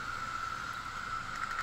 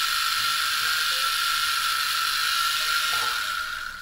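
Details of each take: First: Wii U disc drive spinning smoothly with a steady, even mid-pitched whir and no grinding, after the drive motor yoke arm was adjusted to fix grinding and invalid-disc errors. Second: Wii U optical disc drive grinding with a rasping ratchety rhythm over a thin whine, still giving invalid disc after hair was removed from the motor; the motor is still suspected.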